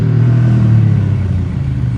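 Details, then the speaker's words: 1993 Ducati Paso barn find after mechanic servicing, deep even V-twin rumble with crisp exhaust beat, no misses or rattles, runs great; normal running. "Oh my God, that sounds so good. Yeah, it's definitely got the classic sound. It's so Ducati sound."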